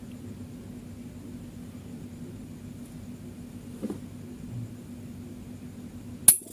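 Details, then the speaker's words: Fridge compressor GFF57AA (rated 1/6 HP plus, data says 1/5 HP) fitted with a 1/6 HP replacement overload: after about 1 min 35 s off, the compressor restarts with a steady low hum and a click, so a 1/6 HP overload works. "Oke ya, jadi mesin kompresornya sudah aktif kembali ya, mantap."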